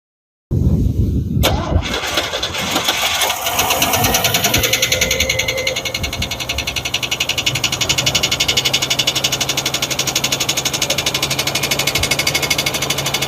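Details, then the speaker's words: 1988 Chevrolet S-10 Durango V6, long unused, just revived: a rough start settling into a very loud, uneven idle with a steady knock about four per second. Something is wrong inside; rough running with knocking. "Wow, that is so loud."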